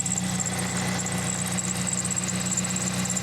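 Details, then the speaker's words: 2004 Toyota Celica GT (1ZZ) after power steering fix: even idle with a faint hiss, the previous very loud pump noise is gone, no groan or whine; power steering pump sounds normal and fluid is flowing. "tell this is a lot better than before there's the noise is gone before it was just this incredibly loud noise very very loud jeez that sound is very loud"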